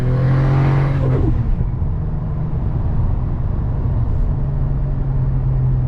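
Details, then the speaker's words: Automatic gearbox on a GS Turbo shifts fine from second to third under steady engine drone, but a manual shift to fourth, also tried in manual mode, does nothing and revs don't drop; it won't take fourth gear. "second gear Shi to third try to Shi to Fourth manually doesn't do nothing there's no fourth gear"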